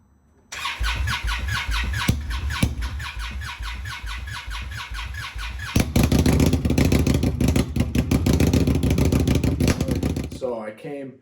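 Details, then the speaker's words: Indian Scout Bobber fuel-injected motorcycle in cold winter weather: long slow labored starter cranking before catching and running unevenly; owner suspects battery cold cranking amps, starter, or fuel-air mixture, starter ruled out. "t took my bike like four or five cranks of the starter to kick over and run and then it was running really like run really high in the rpms and it was really cold"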